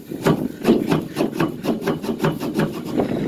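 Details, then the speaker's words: Case 8460 round baler belt roller bearing makes dry, gritty rasping in uneven strokes about three a second, after long-heard clunking and belts walking and twisting; owner suspects the bearing has failed. "and i've always heard a clunking in here well i think i discovered the"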